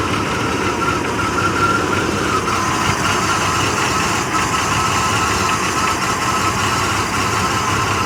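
Idle sounds uneven and lumpy, with a shaky, unsteady beat instead of a smooth hum; rough idle, cause unknown.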